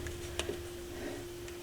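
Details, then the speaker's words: Technics SL-B30 turntable motor, viewed from underneath: steady motor hum with a few sharp, irregular ticks. Owner suspects a brush inside. The ticking comes from the grooved motor shaft catching the brushes. Motor repair attempt failed. "but I don't know if that's one of the brushes on the inside something's jacked with it or what"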